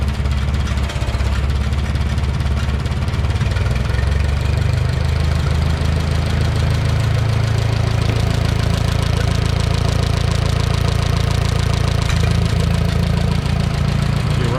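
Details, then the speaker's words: 1969 Minneapolis Moline U302 tractor after engine rebuild, started after points work: fires and settles into steady, even low idle with smooth rhythmic chug; sounds healthy. "Although neighbor Carl did a lot of help too, but finally got her to fire up. So this is what she sounds like."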